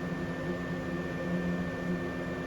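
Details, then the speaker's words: Old 3-speed Fan-Tastic roof vent fan on a trailer, run at its highest (third) speed, gives a loud steady roar and hum and vibrates the roof; it is being removed for a MaxxFan Deluxe. "it's actually vibrating the roof slightly too so let's get this thing removed"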